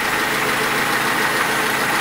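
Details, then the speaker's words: Lada Niva 21213 carbureted, cold engine; steady, even idle, smooth hum, no ticking or misfire; it smokes, more so when warm, and has oil consumption that can't be heard; normal idle. "Ну вроде так сейчас даже не щёлкает ничего так ровненько работает"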